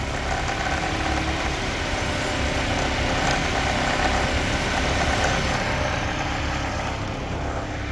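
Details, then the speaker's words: W202 Mercedes AMG, 4-cylinder, about 300,000 on it: steady, even idle, still slightly splattery, with the tapping gone while the suspect part is pressed; the noise comes from that part, not the timing guide or hydraulic tensioner. "you can hear that you see why some people think it's a timing gu in the top and if I put pressure again that it's"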